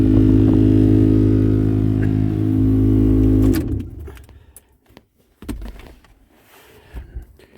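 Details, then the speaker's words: 2010 Ford F-150 with A/C on and the blower motor on full: loud droning hum with a steady throb felt through the whole truck; the owner suspects a rodent or debris dropped into the blower cage during a windshield replacement. "I don't know if you can hear that but it is vibrating throughout the entire vehicle and the blower motor in the these F-150s are right here and that thing is vibrating like"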